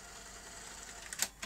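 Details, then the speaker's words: Sony Betamax SL-T30ME after re-timing the loading racks and lacing guide: quiet whirr, light clicks and a soft slide as the tape loads and laces; normal tape load and lace-up. "okay i think we have this working now let's uh load the tape then it laces up"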